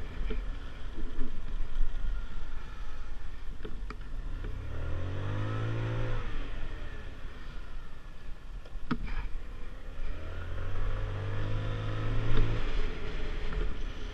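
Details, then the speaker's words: Finished Lexmoto Diablo 125 on a road test, recorded on a helmet GoPro, accelerating: clean engine note climbing smoothly through the revs twice and settling, no knocks or rattles; normal running under acceleration. "okay guys so you should see that that ran beautifully um on the uh helmet cam on the GoPro"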